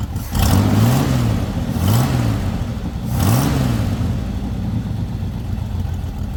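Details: Lowrider after the dipstick oil leak repair, now no longer leaking from the dipstick: three quick throttle blips, then it drops straight into a steady, even low idle with no hunting. It reaches idle faster than before. Normal idle.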